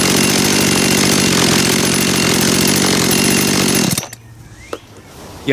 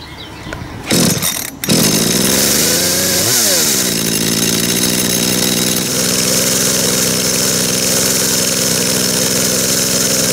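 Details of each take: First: Warm Dolmar two-stroke chainsaw after carburetor cleaning and adjustment, idling smoothly at about 2800 rpm (±10–20). Throttle response is good, then it is switched off. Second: Dolmar chainsaw after carburettor cleaning, tachometer on the plug lead: idle set high via the S screw so the chain creeps, fast busy idle then drops lower and calmer as the S screw is turned out. Idle speed set too high.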